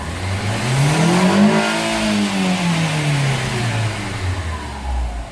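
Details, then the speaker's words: VW Fox 1.0 VHT, hot engine, after fixing a badly installed fuel filter: revs climb smoothly past 5,000 to 6,000 rpm and fall back evenly with no stumble; previously would not rev, now revs freely. "Então agora a gente vê aí que o motor, né, abre o giro tranquilamente aí, ok?"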